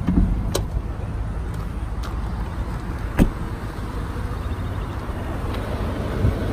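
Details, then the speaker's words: 2008 Audi S4 V8, about 66,784 miles, no codes or misfires stored, all readiness monitors ready: low, even idle rumble, steady with no rattles or knocks; smooth, healthy idle. "indeed no there's no rattling noises I'm gonna try to give it a few revs here so we can catch the noise of the engine well is getting read now"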